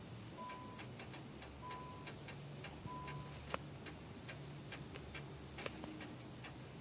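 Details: Nissan Maxima no-start, no-crank during a starter and battery test: irregular light ticks with a repeating warning chime and no cranking; the cause is not yet found.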